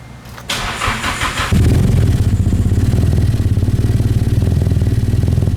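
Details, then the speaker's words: Nissan S13 hatch with SR engine swapped from a car that sat two years, first start after work: cranks, catches, lumpy idle with small pops; cam angle sensor set off, ignition needs retiming, no compression loss heard. "Oh, cam angle sensor's definitely off. You hear that little pop? Yeah. So it doesn't sound like it's missing compression in one cylinder, so that's good."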